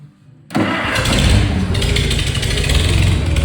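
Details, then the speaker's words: Farmall 400 tractor that had sat several years, after cleaning the points, fixing the battery cables, cleaning the fuel tank and rebuilding the carburetor: brief cranking, then it fires into a steady, even low chug with no misses. Normal start. "I didn't crank it very much. I didn't crank it for long. It started up."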